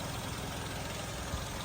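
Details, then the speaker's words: 2008 VW Golf 5 1.6 MPI petrol/LPG (German-installed gas), 167,000 km confirmed mileage, belt replaced: engine idling on gas, quiet, even low hum with steady pulse, no knocks or hunting; normal idle. "Мотор працює тихо рівно ремінь мінявся н"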